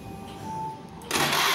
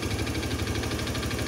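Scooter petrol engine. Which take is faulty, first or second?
second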